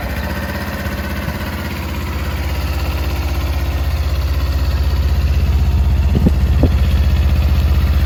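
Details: Current-model Kawasaki Ninja 250 twin, starts well. Steady idle at about four beats a second with a regular extra tapping and a couple of sharper clacks; abnormal engine noise at idle, cause unclear.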